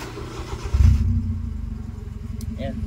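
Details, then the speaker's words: Honda Civic that had hard starting and stalling with check engine light, after fixing a loose ECT sensor connection and clearing the fault code: quick start and even, steady idle; code does not return. "na yung check engine niya ibig sabihin Okay na yung check engine"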